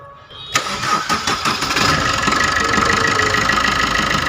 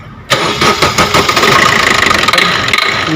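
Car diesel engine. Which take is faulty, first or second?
second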